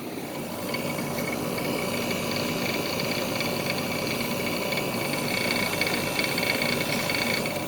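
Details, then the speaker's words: SoleusAir ductless heat pump running in cool mode after startup, suction line cold: steady compressor and fan hum with a loose, uneven rattle on top; owner doesn't know what is rattling, but it's working. "I don't know what that rattling is, but it's working."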